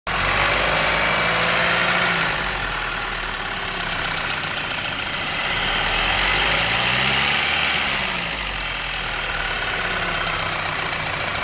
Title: Car ticking/clicking noise when rpm lowers